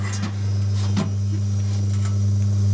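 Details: Antique fridge run from a 600 W pure sine wave inverter: steady, even low hum with no knocking or stalling; the compressor is running normally.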